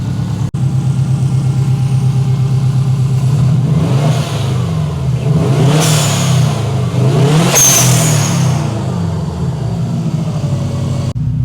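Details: 2003 Subaru WRX bought broken with a suspected gearbox fault: smooth idle, then clean rises and falls in pitch as the throttle is blipped twice, with no knocks or misses; the engine sounds healthy.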